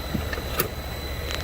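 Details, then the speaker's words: DIY solar-powered 3-phase heat pump, compressor motor on VFD running directly from DC bus, first stage: steady low even drone with a few light clicks; normal compressor running at low speed. "It's at 60 hertz, and it sounds pretty normal. It's on 60. It's when it drops to 40 that you can really hear the frequency of that thing."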